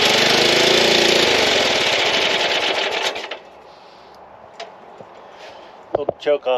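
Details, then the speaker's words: Newly bought mower engine for a go-kart project, chilly day, fuel on, choke, neutral, a little throttle: fires and roars about three seconds then fades and stalls; strong fuel smell, cause unclear. "well it definitely runs so it just didn't want to stay running"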